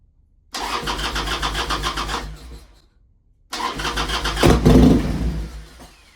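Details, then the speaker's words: 1998 Harley-Davidson Sportster sitting 2-3 years, enrichener out: two bursts of steady starter cranking about two and a half beats a second, each dying without catching; cranks but won't start, owner suspects carburetor not getting gas. "I got a feeling it's not getting gas. Like, what the hell is going on here? It's not getting gas."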